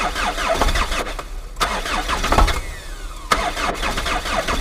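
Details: Chrysler Voyager old diesel, hard cold start at -17°C (feels like -27°C): long labouring crank with uneven coughs and stumbles trying to catch; owner suspects stuck or failed glow plugs.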